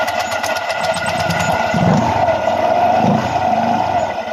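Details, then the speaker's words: Honda Click 125 scooter at 70,000 km, after cleaning a heavily carbon-fouled throttle body and intake manifold that made it hard to start every morning: steady, even mid-pitch idle with no misses or knocks; idles smoothly. "At syempre asahan natin na maganda na rin ang minor ng kanyang motor."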